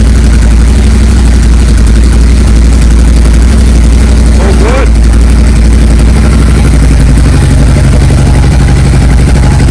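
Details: Honda XR600R single, started stone cold on half choke after fixing a stuck carburetor float valve that overflowed fuel. Steady, even thumping idle with no stumbles or misses; no longer leaking fuel.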